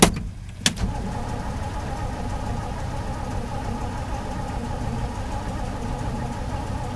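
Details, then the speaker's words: Cold 1968 Chevy pickup on a snowy day, on jumper cables, possibly flooded on the last attempt: steady churning crank that goes on and on and sounds like it wants to start but never catches; extended cranking, no start. "kind of sounds like it wants to start hit her again but not getting nothing so far"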